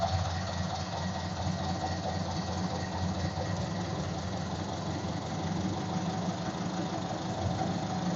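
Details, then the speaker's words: Ford Model A after resetting the ignition timing; soft, even low idle with steady beat, no misses or rattles. Normal idle. "I don't know if you could hear it at all through the um microphone but they sounded pretty good"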